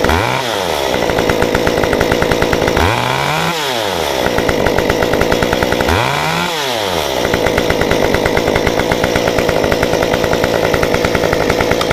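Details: Stihl 193T climbing saw with muffler mod, ~8–9° timing advance, 93 non-E fuel, formerly stalled on throttle; after sitting about 20 minutes, crisp even buzz blipped up and back three times with no stumbling or bogging; runs normally.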